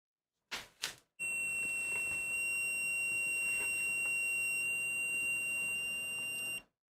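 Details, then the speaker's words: Loud piercing steady high-pitched tone for about five seconds after two quick clicks at power-on of a rebuilt first PC; uncertain source, unplugging the hard drive suggests it was the Mac Store drive. "oh what was that was that the hard drive I don't know what was making that noise unplug the hard drive and find out"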